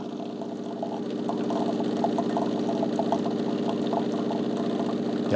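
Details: De'Longhi TrueBrew CAM51025MB on the second part of a full travel-mug brew, which probably takes about 2–3 minutes, with coffee at 175–176°. Steady, even pump hum with a light rhythmic pulse and no rattles or grinding; normal brewing pump operation.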